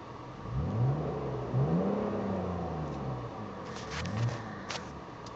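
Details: BMW E39 with oil light blinking: whirring tone rising and falling with revs under acceleration; strange noise, cause not identified.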